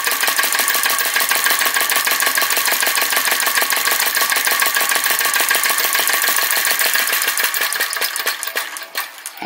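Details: Retro VE-01 crossbeam flame licker vacuum engine: quick, even chuffing about 200 a minute that fades away at the end. Flame blowing out because the wick is set too low.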